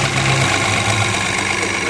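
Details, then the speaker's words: Citroën C4 Lounge THP at 49,720 km: at startup a light metallic rattle over a busy idle; attributed to the timing chain, a chronic THP problem, before chain repair. "que acontece com esse carro aquele barulho da partida é ele é referente à corrente de comando né esse carro ele tem um problema crônico nessa corrente"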